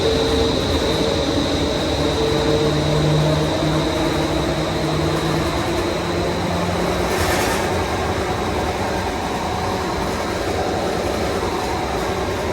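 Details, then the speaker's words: Daikin commercial air handler with a new blower motor, after the first blower bearing was replaced: a steady rumbling drone with strong vibration remains. The rear bearing is replaced next. "Still got a noise. A lot of vibration there."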